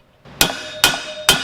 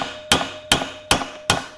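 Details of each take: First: Honda XL185s motorcycle bottom-end rebuild: three sharp hammer blows on new crankcase bearings, each leaving a clear ringing ping as the pitch changes, showing the bearing has bottomed out fully seated in its bore. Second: Honda XL185S engine bottom-end rebuild, new crank bearings being hammered in: four even blows with dull thud rather than clear ping, indicating the bearing not yet fully seated.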